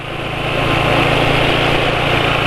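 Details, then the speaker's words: Motorcycle at steady fast idle running Kendall GT1 oil with Sabrina cooking oil additive: coarse, slightly uneven clatter, quieter than other bikes but fairly rough; owner judges the additive oil not as good, though better than Bimoli. "Suaranya kayak begini masih lebih senyap dari motor lain tapi ya ini lumayan kasar lah"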